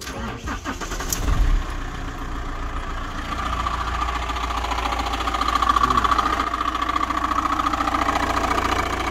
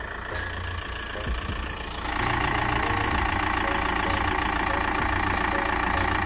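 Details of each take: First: Van engine starting to idle after a new belt tensioner, which did not cure the noise: a steady ringing whir rides on top. The crank pulley has play and makes a similar noise when struck, so a worn crank pulley is suspected. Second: Van engine after a worsening noise traced to a cracked crank pulley, with new crank pulley, belts and tensioner fitted. Steady, even idle with a smooth hum and no knocking or ticking; fixed.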